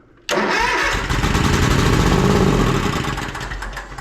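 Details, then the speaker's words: Toro Z Master commercial mower engine, customer complaint of no start and rough running: plug unplugged with an auxiliary spark source grounded against the block fires the engine, which runs with a rough uneven beat before fading, confirming this cylinder works. "so we know that this cylinder is working since it fired up with that auxiliary source with this plug unplugged"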